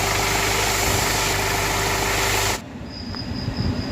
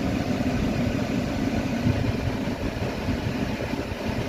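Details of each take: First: Hyundai Venue BS6 three-cylinder petrol engine idling smoothly and evenly with no stumble, after repair of a misfire on cylinder three that caused a check engine light and rpm not exceeding 3000. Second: Hyundai Venue BS6 three-cylinder petrol with check engine light on and engine not revving past 3,000 rpm: rough, lumpy idle with uneven low thrum; scan showed one cylinder dead, found to be cylinder three.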